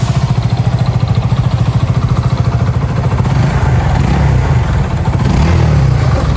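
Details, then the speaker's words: Honda Supra GTR 150 motorcycle engine idling with a heavy, uneven clatter and deep knock, worse as revs rise slightly; cause worn, loose connecting rod, also scoring on block and piston; ECU scan sensors fine. "Nah, seperti yang kalian dengar, suaranya itu udah gak nyaman buat didengar dan berisik banget guys."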